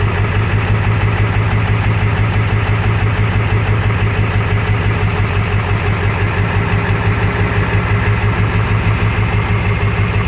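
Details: Swamps Gen 3 engine with 230cc injectors at 100%, just after start while tunes are being dialed in: uneven lumpy idle pulsing about three times a second with deep loping beat. Rough idle, cause not confirmed.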